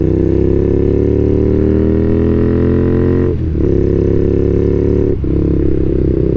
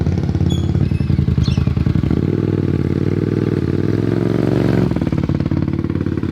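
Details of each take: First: Warm carbureted twin motorcycle after carb sync and a ride; it rides fine but runs slightly rich. A low buzzy idle dips and stumbles twice. The idle is more erratic than before, cause unknown. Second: Carbureted twin motorcycle at operating temperature, during a carb sync with homemade fluid gauges: an even, smooth idle that lifts cleanly on the throttle and settles back without stumbling. Balanced and healthy.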